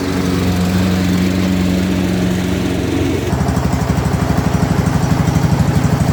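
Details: Ariens/Husqvarna riding lawnmower single-cylinder engine after a new carburetor, intake manifold, head gasket, flywheel, battery and ignition; runs steady and settles into a regular chugging beat while driving off, sounding healthy.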